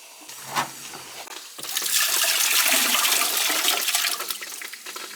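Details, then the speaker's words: Boiler leaking water, with a failed expansion tank: gurgling, then a long hissing rush of air and water out of the purge hose, easing off as the heating loop bleeds clear of trapped air before the boiler is refired. "you can hear the ear give it a good purge you can hear you can hear the air going in there there it comes"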